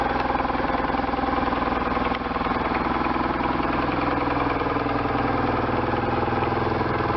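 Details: 1998 BMW R1100RT boxer twin, first start after restoration, throttle bodies not yet tuned, bodywork off: steady even low throb at constant idle, no knocks, misses or ticks; healthy.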